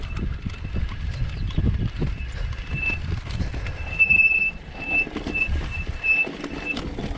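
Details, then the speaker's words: SameBike LO26 version 2 48 V electric bike with sealed hub motor, descending off-road; high steady squeal in short bursts each time the rear disc brake bites, over tyre crunch; squealing disc brake, cleaning disc and pads with alcohol suggested. "now with the brakes when they squeak that much you could always get a bit of rubbing alcohol and rub it over the disc and take the pads out clean up the pads and stuff"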